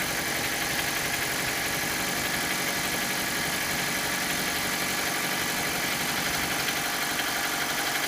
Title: Стук двигателя mitsubishi colt